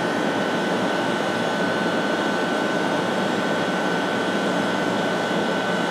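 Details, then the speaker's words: Steam boiler-house feed tank vent after the two large faulty steam traps on the heat exchangers were replaced: steady even rush of condensate flash steam with faint constant whistle, no surging or spitting; normal, smoke almost gone versus before. "Donc là on voit bien, là c'est la vapeur de revaporisation des condensats. Quand ça marche bien, ça doit faire à peu près"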